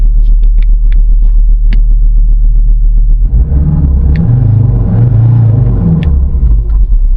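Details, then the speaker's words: Ford Ranger Wildtrak 3.2 diesel after turbo gasket replacement and codes cleared, revved: deep rumble swelling with no whistle, where before the repair a whistle was heard on revving; turbo side sealed and healthy. "Before you could hear a whistle on the engine when I used to rev it. Not anymore, guys."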